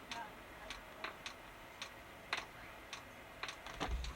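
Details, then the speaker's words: Chinese diesel heater being installed on a boat, first start: faint sharp ticks about half a second apart over a quiet background as the heater's fuel pump primes; normal fuel pump ticking at startup. "yeah I think I hear the fuel pump going it's doing something"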